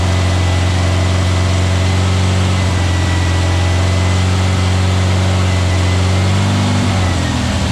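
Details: New VW Beetle 1679cc single-port flat-four, Scat C25 cam, dual Empi ITC carbs, first fire-up during 20-minute cam break-in: smooth steady fast-idle hum, even low beat, slight settle near end; timing spot on, no leaks, carbs need tuning; normal running.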